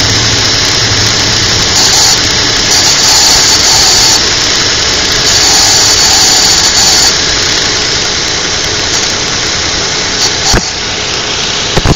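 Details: 2002 Infiniti QX4, cold-weather idle, lasting about 10 minutes after startup: hissy high-pitched squeal coming and going intermittently over steady run; cause unidentified.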